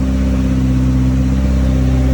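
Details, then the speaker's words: Home-built Toyota Celica GT-Four engine running after its first start, heard up close. A steady, smooth drone at even revs with no knocking; the faint whirring is the turbocharger. The engine sounds healthy. "It's running sweet as a nut, and up close the engine is purring. There's no knocking, no concerning sounds. Really does sound nice."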